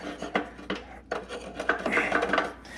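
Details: 40-year-old metal-cutting bandsaw during teardown: uneven, dry, gritty scraping rasps as the clamp crank screw is turned; the screw threads are rough and may need work.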